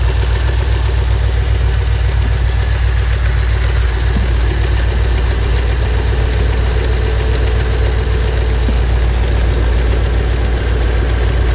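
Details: Pontiac G8 GT L76 V8 at steady idle: fast, light valvetrain tick/knock from a failed AFM/DoD lifter; first lifter failure at 44k, this second one at about 66k miles.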